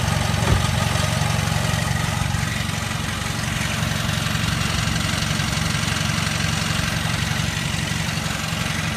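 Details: Hyundai Veloster idling before the dealer replaced the transmission and flywheel: loud shattered noise from the engine bay with cabin vibration. Heavy, rough idle with a rattling throb near four per second. Cracked flywheel and failing transmission.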